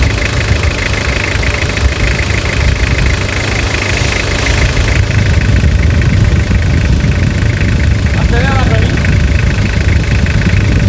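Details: Toyota Hilux (1992–2001 generation) diesel at end of full restoration: steady low diesel clatter at even idle, no misses or odd knocks; engine sounds healthy, T-Belt light on.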